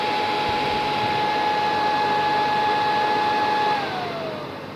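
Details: PS3 fat powers on, fan whirs instantly at full speed with a steady high tone, winds down after about four seconds as it shuts off, red light blinking; fault from failed HDMI decoder chip, before repair.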